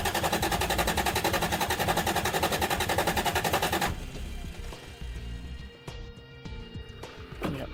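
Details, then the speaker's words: Turbocharged Toyota 3VZ-E cranking evenly, about three to four beats a second for four seconds, never starting; fuel pump not coming on, no power through its line, pump believed good; jumper from battery planned. "fuel pump isn't coming on so I've determined that my fuel pump was working now it's not and it's not an electrical problem"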